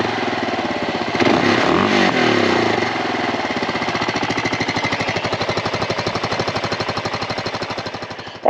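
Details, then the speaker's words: 2007 Kawasaki KLR 650 used single-cylinder dual-sport; steady, even big-single thump at idle, about four beats a second, no misses or knocks; runs healthy. "First, let's hear how it sounds, because the KLR sounds great."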